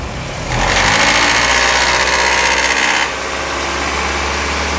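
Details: Opel/Chevrolet Corsa GSi engine: loud hissing whine rising with revs, cutting off when throttle closes, occurring only sometimes; recently crank pulley, clutch, fluids replaced; owner wonders if tensioner is the cause; intermittent abnormal engine noise, source unclear.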